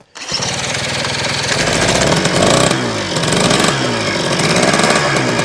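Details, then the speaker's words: 1975 Kawasaki KE125 two-stroke, previously seized, freed and carburetor rebuilt: fires straight up with crisp ringing buzz rising and falling cleanly with throttle; runs well. "I put more fuel in it, so let's see if it'll actually run. Oh man, it wants to fire right up."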